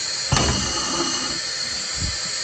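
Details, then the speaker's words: Case 922B air brake system: a steady hiss of escaping air from the treddle valve port with the valve in neutral, plus a couple of knocks. "But you can see when I put my finger on that port that there's uh air coming out of there. And it should not be coming out of there at all being the threddle valve in the neutral."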